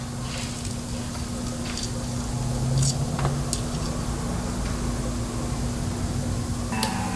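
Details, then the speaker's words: 1995 Lincoln MKVIII after a 32-valve 4.6 DOHC Ford engine swap, first start: low, lumpy, stumbling idle; rough running. A missing spark plug or plug wire is suspected, not confirmed. "Making a weird noise. Sounds like I left a plug out."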